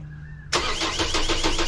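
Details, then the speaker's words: 2022 GWM Cannon L 4x4 at 50,000 km, starting up before a warranty visit. A thin whine rises before the crank, then the engine catches and settles. Noisy fuel pump during priming; owner reports it is hard to start. "the fuel pump I don't know if you guys heard that but I've got some more videos of that so I add that all in here but I got the the fuel pump's quite noisy it's hard to start"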